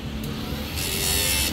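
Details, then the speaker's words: Sniper 155 motorcycle after replacing the faulty fan relay, checked with an MST 500 diagnostic tool: the radiator cooling fan now runs with a steady whir over a low hum, no scraping or stutter, normal operation. "So pansin nyo, gumandar yung pan nya."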